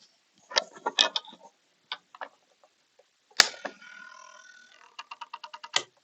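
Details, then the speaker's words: BMW K1300 ESA rear shock on bench test, microphone near sensor: faint clicks, then a thin steady whir for about 1.5 seconds cutting off cleanly at the end stop; adjuster motor working normally. "now I'm going to put my microphone near to the sensor I hope you can hear the sounds of the s when it's working and it stops"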